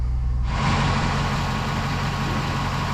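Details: 2005 Chevrolet Silverado 1500 5.3L V8 just after oil pump and pick-up tube replacement, first start: catches and settles into a steady even low idle with no knocking or ticking, oil pressure about 62; healthy idle.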